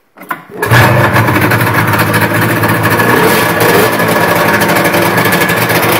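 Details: 1976 Rupp Nitro 340 two-stroke, first start after full bottom-to-top-end rebuild with new Wiseco high-performance ported pistons; catches after a few quick pulls and settles into a loud, steady, crisp idle with no knocks or misses. Normal start and idle.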